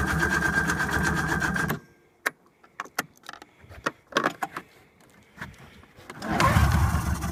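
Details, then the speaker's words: Engine cranks steadily for two seconds, stops with scattered clicks, then cranks again without catching; turns over but won't start. "what wants to start but for some reason it won't"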